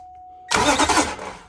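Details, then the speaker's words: 2005 Nissan Titan: silence, then about a second of strong whirring crank after tapping the starter solenoid with a hammer; the solenoid has a dead spot, so the starter is being replaced. "we didn't pull off that intake for no reason the solenoid has a dead spot we tapped it it came to life and now it seems to be working fine"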